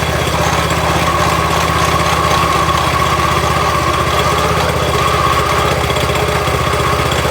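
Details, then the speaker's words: Toro SG-6 stump grinder, Honda GX200 engine, after carb service and a quarter turn right on the idle stop screw; idle problem later traced to oil level: steady even single-cylinder putter, no surging or missed beats; normal idle. "And now I'll let you listen to it at idle, and it sounds okay."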